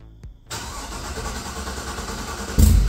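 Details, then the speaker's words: Loud, deep V8 idle with a choppy cam lope and a couple of throttle blips from an LQ4 engine build swapped into a 1985 Pontiac Trans Am with a hot cam and 4in exhaust, on a later first start; normal healthy lopey idle. "as it is pretty dang loud with the 4in exhaust it sounds pretty mean so um yeah let's hear it"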